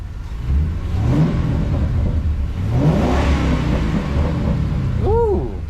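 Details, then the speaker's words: Ford F100 with a Crown Victoria drivetrain swap, first drive: a deep, smooth V8 rumble rising and falling with the throttle, with no ticks, knocks or misfires; a healthy engine revving. "that thing sounds good, don't it?"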